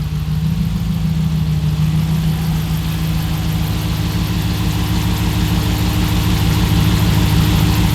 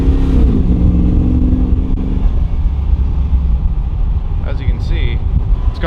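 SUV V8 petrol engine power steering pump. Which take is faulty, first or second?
second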